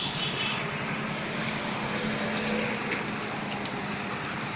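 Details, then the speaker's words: Hero HF Deluxe single-cylinder motorcycle, idle set to about 800 rpm during carburetor mileage tuning, between 800 and 1000 rpm per headlight flicker: even low putter with airy hiss, no misses or hunting; normal idle. "तो, हमने इसे अब लगभग 800 RPM पर set कर दिया है।"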